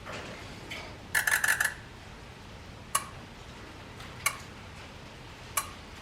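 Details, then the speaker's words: 6.0 Powerstroke Ford F250 at 227k miles, injector buzz test after adding Rev X: a burst of light ticks, then single sharp clicks about a second apart. Many injectors click only faintly or sometimes not at all, and Rev X didn't make them louder. "so I have a lot of injectors that are not even clicking I mean they are clicking but very quietly really nice them all the injectors clicked about a lot of them where it's so quiet you could barely arm so the Rev X did not make them click any louder they still click but very quietly sometimes they wouldn't click at all"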